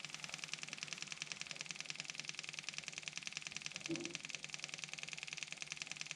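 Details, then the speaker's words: Kubota M6060 tractor at its 1500-hour service: with the engine off and key on, the electric fuel pump gives a fast, even high-pitched ticking buzz while priming the fuel filter through the cracked bleed screw, and its sound changes as fuel fills up. "you hear the sound of that pump change okay we're getting feel up here"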